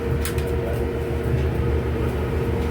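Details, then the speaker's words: Whirlpool Cabrio dryer running after idler pulley (W10547292) replacement; steady low rumble with faint even hum, drum turning smoothly with no more squeaking or grinding. "It No more grinding. No more squeaking."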